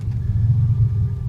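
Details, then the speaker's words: 1986 Ford Ranger 2.9, idling in cold weather (ran well in warm months): deep, uneven, wavering lumpy rough idle with pulsing lights and whining pumps heard; cause not yet found. "it's gotten all really lumpy with the idle."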